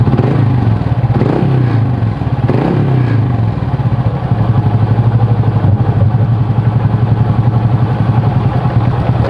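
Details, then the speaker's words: Honda Supra motorcycle (owner's "Supra bapak") test start after clutch rebuild with worn clutch housing and a magnetic oil drain bolt fitted: a cool, healthy sound, revs blip up quickly and cleanly and settle to an even beat with no slipping or clatter; normal revving. "Suaranya adem, cuman perbedaannya RPM-nya sih naiknya lebih cepat ya."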